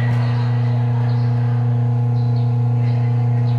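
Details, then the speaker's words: Whirlpool automatic washing machine with no spin and noisy washing: loud steady low hum from underneath that never changes pitch while the drum stays still, drive straining; cause not yet found at this point. "So may maingay sa ilalim niya tapos kanina ayaw na umikot"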